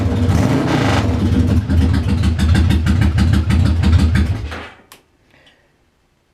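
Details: Engine after starter clutch repair, reassembled: crisp, even firing that picks up cleanly on each throttle blip, then shuts off; runs healthy.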